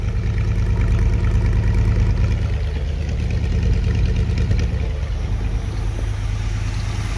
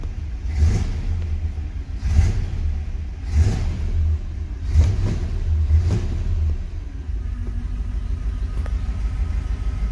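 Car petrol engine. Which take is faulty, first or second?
second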